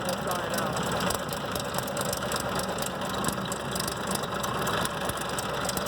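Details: 2004 Ford Expedition 4.6L V8 at idle: a loud, busy metallic rattle over an uneven note, and the engine almost stalls. Owner suspects the timing chain or a lifter.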